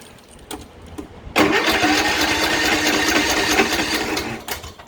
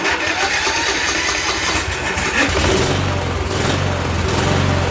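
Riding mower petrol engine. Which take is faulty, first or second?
first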